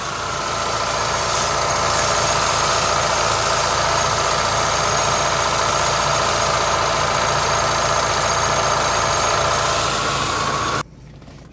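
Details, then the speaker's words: Hyundai Avega engine running with AC on: loud rough growling noise from the AC compressor while cooling stays normal; noisy AC compressor. "pas AC on suara berisik ngorok gitu ya ngorok kasar sekali gitu"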